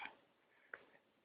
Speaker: you hear a click. If you look at the hook now, you should see that it dropped way down. That's how you know the machine's on second ball.